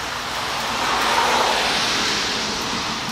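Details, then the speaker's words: Briggs & Stratton Brute pressure washer, water on and gun triggered, engine not running: steady hissing rush of air and water with an uneven spitting flutter. Air sputtering during line purge, done before starting to protect the pump. "Now all I'm getting is air right now. Now it's spitting and sputtering."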